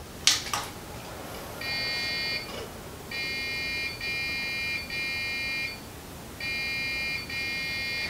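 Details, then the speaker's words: Dell Precision T3500 that won't boot: click then 1-3-2 POST beep code for memory error; caused by registered DDR3 RAM, fixed by fitting unbuffered DDR3. "it's giving us a 132 beef code and this more than likely means that we have bad Ram"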